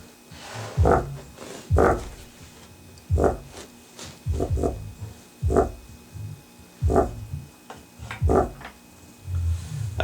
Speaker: but you can hear the rattle in there so that's what's wrong with it